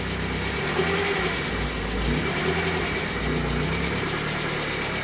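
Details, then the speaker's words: Barn-find 1980s fuel-injected BMW E30 M Sport, not run for ages, first run with fuel pressure supplied around the dead fuel pump: smooth, even idle with light valvetrain chatter, no misses or knocks; sounds happy. "you haven't heard it run for a while I'm guessing no not for ages but it sounds very familiar yeah I mean that's pretty happy isn't it"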